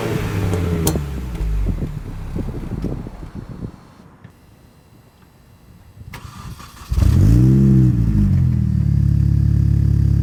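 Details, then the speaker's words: Mini Cooper S R53 with the factory exhaust reinstalled in place of the Borla cat-back: cranks and catches, then rises into a deep, even rev with soft little burbles. Quiet, healthy stock exhaust. "all right so that's what it sounds like kind of cute I guess it's got weird little burbles they're like you know actually from the inside uh having it start up it actually seems more um Bassy"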